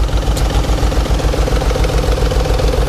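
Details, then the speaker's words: 1992 Nissan 300ZX idling with a lumpy, coarse, uneven low puff about three and a half times a second; runs badly, owner suspects original injectors and an obvious exhaust leak, cause unconfirmed, compression check to follow. "But here's what we're dealing with engine-wise. So doesn't look too bad, but sounds like crap."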